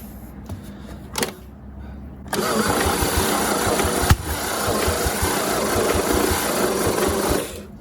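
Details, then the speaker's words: 1950 Chevy 3100 truck inline-six, long-sitting, first start attempt after confirming spark: quiet start, then steady rapid cranking about four turns a second with one sharp pop as it briefly catches on starting fluid. "I guess we'll just shoot some mustard down her throat and see what happens."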